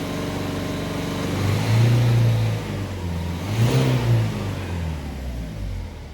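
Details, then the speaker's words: Ford Focus 1.5 diesel after injector replacement and a new fuel filter, injectors not yet taught: a steady, even drone held around 2,500 rpm with no stumble. Runs cleanly at this speed, though a slight miss remains at low rpm. "What about 2,500 RPM? We're all good."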